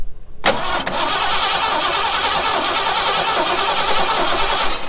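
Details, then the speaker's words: Ford F100 bullnose V8 that sat outdoors 11 years, fresh battery fitted: starter engages sharply and spins the engine steadily with a strong, even whirr; normal cranking. "we'll Chuck a battery in and see she still turns over right fingers crossed"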